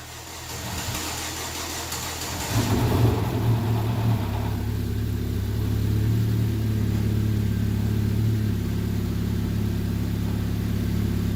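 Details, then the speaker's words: Vauxhall/Opel Insignia, first start after a head gasket replacement, jump-started from a Fiesta: it cranks a couple of seconds, struggles a little, then catches and settles into a steady, even idle with a low hum. It starts and runs fine. "well you it struggled a little bit there to stop well that's just natural because everything's working its way through"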